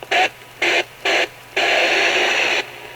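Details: Grundig FR200 radio after cleaning badly corroded battery contacts, on medium wave: harsh hiss in three short bursts then a longer one, cutting sharply in and out; weak noisy reception, owner suspects a contact problem.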